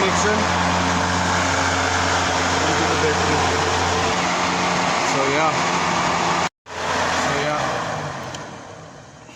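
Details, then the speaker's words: Opel Kadett radiator fan, removed and wired directly to the battery. Steady, even whir with no scraping or ticking, then it cuts out. Fan motor works normally, so the fan isn't the problem; fan switch or wiring is suspected. "fan definitely works. So it's not the fan that's a problem."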